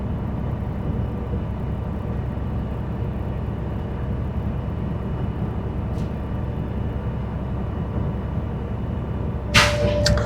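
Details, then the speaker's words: School bus diesel at high idle building air for the governor cutoff check, target 120–140 psi; steady low rumble, then a sharp hiss at cutout. Compressor working normally, gauges reached 120–140. "We're going to make sure that our gauges reach 120 to 140 or cut out. And I'm going to go ahead and turn it on the high idle to facilitate this building up."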